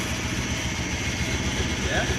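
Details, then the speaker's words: 1994 Dodge Ram half-ton bought as a non-runner, first start, smoking badly: an uneven, lumpy idle with an irregular low thump. A misfire is suspected but not confirmed. "oh it's smoking pretty bad yeah it sounds like it's got misfire don't sound terrible"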